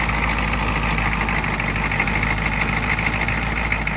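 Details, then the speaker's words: 1987 Ford F-350 diesel started after sitting 8 months, with ether and a weak battery at about 9 volts, no boost needed. Loud, even diesel clatter holds steady at idle with no misses or knocks. Normal idle. Owner says the parking issue is symptomatic of a burnt clutch. "Ooh, that was close. It's running. That really didn't take much effort."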